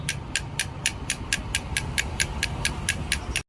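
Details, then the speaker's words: Bajaj NS200 bike crankshaft removed from an opened engine that made heavy noise: sharp metallic clicks about four a second when the loose crank is turned by hand, showing worn bearing play; crank must be replaced. "Normal గా మనం touch చేస్తేనే అంత sound వస్తుంది. అదే running లో ఎంత విపరీతమైన sound వస్తుందో ఒకసారి మీరైతే అర్థం చేసుకోండి."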